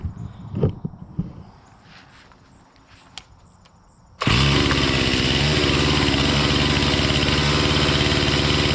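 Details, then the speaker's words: Stihl MS 261C M-Tronic chainsaw after a carb kit rebuild and M-Tronic reset; fires and holds a steady fast buzzy idle that never settles, idling too high, cause unknown to owner. "At least it's working. That's a it's a bonus. But yeah, I don't know why it's idling so high."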